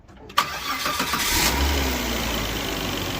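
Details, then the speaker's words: Volvo XC90 that won't start without jump pack, reconnected and cranked; brief crank catches within about a second and settles into steady idle; alternator not charging, found bad. "I disconnected the box and it wouldn't start. So now we're going to reconnect it and start it again."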